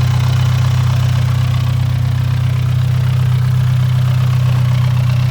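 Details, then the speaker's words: Nissan R34 Skyline idling: a fast, even rattle about three per second rides over the idle and does not rise when revved; owner suspects an idler pulley, not the engine. "something is rattling like crazy though you guys hear"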